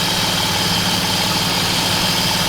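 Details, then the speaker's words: BMW E36 M3 after full replacement of the belts and tensioners, which had caused an intermittent squeal: steady, even idle with a smooth hum and no chirp or squeal; engine sounds mechanically sound. Owner notes mild lifter tick. "there's no more noise very happy this is a very very sound engine sounds very good mechanically i'm very stoked"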